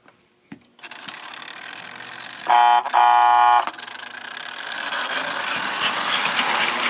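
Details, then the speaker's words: 326 Hudson model locomotive after final repairs, with an air chime whistle generator wired into the layout circuit: steady, loud, clear horn blasts, then smooth running noise; working well. "I also have the airchime whistle generator hooked up into the circuit so that I can test the horn whistle on the layout and it's nice and Loud all right here we go"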